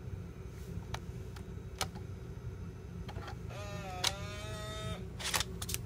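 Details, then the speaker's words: Floppy drive in a Macintosh PowerBook 165 ejecting and reinserting a freshly formatted disk: light clicks and clacks, then a brief steady whirring motor tone for about a second; ejects and loads normally, working fine. "just get coming up reject it bad back in yep working fine"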